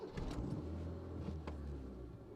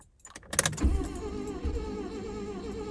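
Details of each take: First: Proton Saga Iswara, about 50,000 miles driven by owner: quiet, smooth low rumble settling into an even idle, no stumbling or misfire; healthy. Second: Proton Saga Iswara, driven 50,000 miles by its owner: after a click the starter spins the engine at a steady, even rhythm but it never catches or fires; cranks but won't start.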